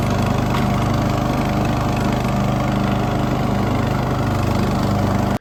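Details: Poulan XT tractor mower single-cylinder engine after a new spark plug and carburettor idle and mixture screw adjustment: steady, even drone with no popping or surging until shutoff. Tuned up, idle smooth.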